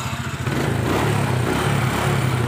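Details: Motorcycle checked for starter that only clicks, battery around 12–13 V: strong, even cranking with a steady pulsing churn that catches into a running engine; starter turns the motor properly.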